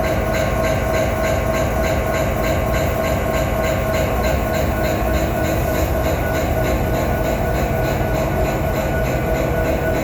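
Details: Steady rapid knocking, about three beats a second, riding evenly on the engine drone of a BNSF SD70ACE locomotive #9158 in Utah; a very strange regular mechanical knock of unknown cause.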